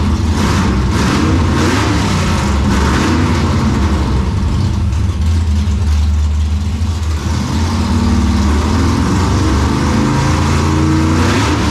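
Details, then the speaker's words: 1957 Chevy delivery with Hilborn mechanical injection, cold start after retry: rough running with sharp irregular pops over deep rumble just after firing, seeming okay once warm; popping taken as a still-lean condition. "Not super encouraged because there was definitely a fair amount of popping, as you probably noticed at least when it first fired up. Once it warmed up, it seemed like it was okay. So the popping is usually an indication of a lean condition still."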